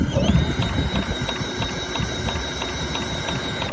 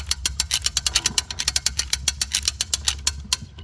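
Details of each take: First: Vintage Craftsman mower saved from scrap, pulled over with a drill after cleaning the points: steady drill whine with even ticking about three per second, never fires, no spark; owner suspects the points weren't cleaned well, not confirmed. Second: Vintage Craftsman mower's self-starter spinning the engine with the spark plug out after lubrication: quick, even clicking beats, about six a second, cranking freely. Wear seen on the starter gears is a concern.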